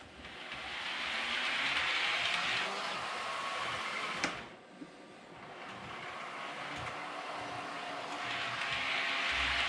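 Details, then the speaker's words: Realtrack Class 156 model train after oiling the squeaking wheelset: soft, even electric whir rising and falling as it runs slowly round the layout, no squeak; repaired. "Okay, so this thing, it almost immediately started squeaking, and you can see now it's not squeaking at all. Not even trying to, and that's a"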